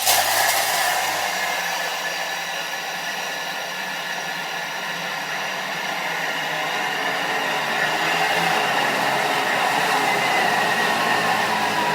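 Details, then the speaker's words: Food processor at speed nine for 30 seconds grinding peanuts into peanut butter; a loud steady high whir with dry grinding that eases as the nuts break down, and the motor sound changes. Normal grinding. "so you can see it's grinding [Applause] you can hear by the sound in the motor that it changes things up"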